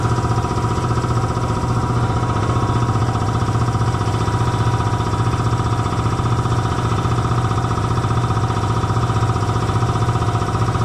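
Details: Belt-driven air compressor after oil change and drive-belt tightening: steady, even pumping thump around four beats a second with low hum, no slap or squeal, reaching 175 psi cut-off; normal running after fix.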